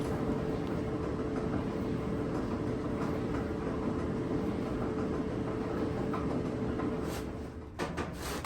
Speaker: okay here's the noise yeah you can hear the knocking wobbling now uh as the drum is spinning so we're going to get down to the nitty-gritty and see what's making that